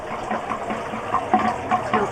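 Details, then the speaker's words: Campervan recirculating shower pump running with the drain nearly empty: irregular gurgles and splutters as it sucks air; pump is rated to run dry, so this is normal. "And these pumps we're using can run dry. So, um we don't have to worry about that even if there's essentially no water in there in the drain."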